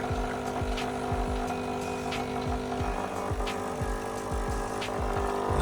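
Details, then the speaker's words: KRUPS coffee machine after leak repair (new piston seal) and error reset, warming up: pump thumps about twice a second over low hum, even, flushing or draining, hot water then comes through; normal flush cycle. "And as you can hear, it's cycling now. I think it's flushing the unit out or draining."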